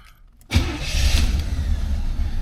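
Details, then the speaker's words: 1981 Chevrolet Caprice: short crank, catches within a beat and settles into a steady, even idle; fires right up, a clean, healthy start. "right, fires right up."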